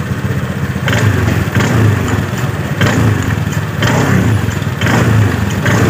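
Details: 2018 Honda Scoopy scooter, noisy CVT area when accelerating. Rattling shudder at low rpm on throttle blips, the rear wheel creeps at idle, and the owner reports low power. Worn CVT clutch shoes.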